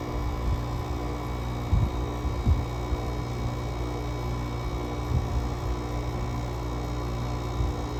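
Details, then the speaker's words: GE AWS05LSK1 5050 BTU window AC with Samsung rotary compressor, cold start at 15°F outdoors: steady low compressor hum with a few dull early knocks, labouring cold while building head pressure, then settling into an even run. "um sometimes it's kind of fun to fire these things up and do some cold starts it's pretty cool"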